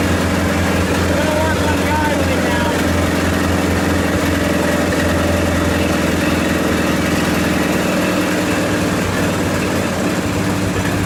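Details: 1928 Farmall Regular tractor idling after carburetor tweaks, just started with timing advanced about halfway: even, steady low idle around three firings a second, no knocks or misses; healthy normal idle.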